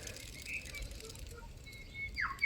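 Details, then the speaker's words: Old idler pulley removed from Mercedes W212 E250 1.8 M271 CGI, spun by hand: dry rasping whirr with wavering high tone as it coasts down; worn idler pulley bearing, replaced. "So there we go, there's the old one, and same story as the previous one. If I give it a bit of a spin, there we go, you can hear that straight"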